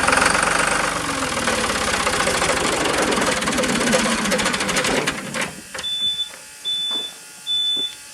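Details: Ford New Holland LX865 skid steer, 65 hp turbocharged three-cylinder diesel: steady rapid cranking that never catches after fuel contamination; lift pump now delivering fuel; owner suspects injectors need bleeding, injection pump later sent for rebuild. Cranks but will not start.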